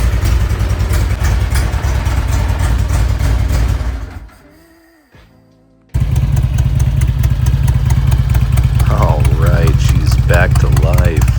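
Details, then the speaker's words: Harley-Davidson Electra Glide Ultra Classic V-twin, first start after reassembly, motor adjusted to align the belt, plugs and mufflers reinstalled. The engine shuts off, then fires right up and settles into a steady, even, lumpy idle with no knocks or rattles. "all right she's all back together let's see if she fires up"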